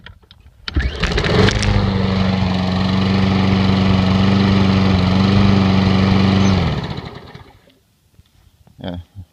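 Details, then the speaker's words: Briggs & Stratton-powered lawnmower, cold start after sitting several weeks: catches almost at once and settles into a steady, even hum for about five seconds before shutting off cleanly; normal cold start and run. "are all starting in the cold start and they have been started in several weeks"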